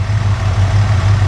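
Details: Engine pulled from a Squarebody truck, running on a test stand: deep, even V8 idle rumble with no knocks or ticks. Temperature is staying good and oil pressure is about 52 psi; a normal healthy idle.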